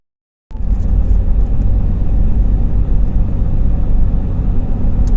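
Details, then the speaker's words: 2011 Ford F-150 3.5 EcoBoost on a road test after replacing the left turbo bypass valve diaphragm: an even low rumble with some tyre noise. The earlier moan/groan at about 1,800–2,000 rpm is gone, so the fix worked. "we're on a road test now after changing that valve that bypass valve diaphragm there's the critical rpm there's a bit of a tire noise but that's not the noise"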